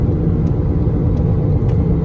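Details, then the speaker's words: 2011 Honda Accord driving: low droning hum that increases on left turns and goes away when switching lanes; bad wheel bearing, owner suspects the left one since noise is heard from that side. "Increases, goes away. So yes, that's a bad wheel bearing. So when I turn left, it increases."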